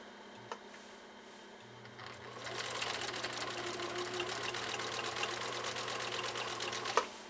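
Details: 1962 Husqvarna Viking 19E Special, foot controller barely pressed, three-point zigzag stitch through about four-ounce chemically processed elk hide: quick, even needle clatter without labouring or knocking; healthy, normal running.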